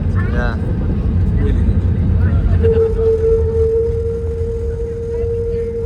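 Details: Jet2 Airbus A321neo landing in Geneva: steady high brake squeal during rollout over heavy rumble.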